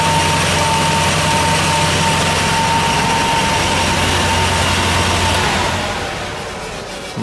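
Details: Air handling unit fan with only one of two belts fitted, slack and possibly misaligned, runs with a steady high squeal over the fan hum that fades as it slows: fan belt slipping on its pulley.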